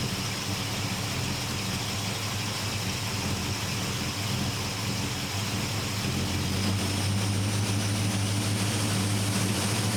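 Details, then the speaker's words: 1972 Chevrolet C10 with a Carb Cheater and O2 sensor newly installed, auto-tune switched on at a rich idle: smooth V8 idle lifts to a higher, firmer speed and holds; the auto-tune has raised the idle. "I don't know what any of this means, but you can definitely hear that the truck is idled up."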